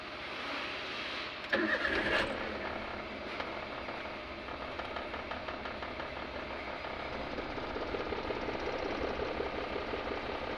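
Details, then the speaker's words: Engine idling lumpy and uneven with irregular stumbles and heavy vibration after a short crank; third cylinder misfiring at idle. "देख रहे हो दोस्तों, ये गाड़ी कितना वाइब्रेट हो रहा है। इसका तीसरा सिलेंडर मिस फायर कर रहा है दोस्तों।"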